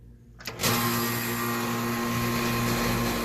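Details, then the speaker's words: AC condensing unit not cooling; contactor pushed in by hand, then a click and compressor and fan come straight up to a steady, even hum; normal condenser running, fault later traced to low voltage. "I did hear the compressor turn on by a motor turned on"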